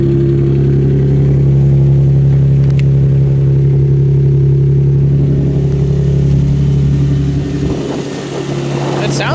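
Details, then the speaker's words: Infiniti G35 at idle: steady hum with a faint, even tick about four times a second; possibly a lifter, not confirmed. "but david has shown me his g35 he got it he rounded it up but he's saying it has like a tick to it"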